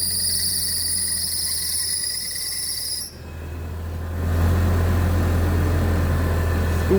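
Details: Old Mitsubishi Pajero engine at first start after repair for a knock (valve cover, timing belt, balancer belt, timing marks aligned): crickets outdoors, then steady, even idle with no knocking.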